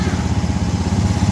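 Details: Honda Vario 110 ESP scooter, previously would not start, after CKP sensor reinstalled: quick, even idle beat with no misses or stumbles; starts and runs cleanly.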